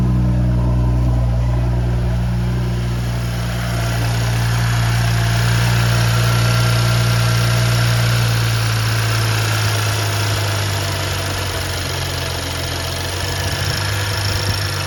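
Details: BMW N55 after vent hose replacement, first start in a month: steady, even low idle hum with no knocks or misses; idling cleanly while checked for fuel leaks.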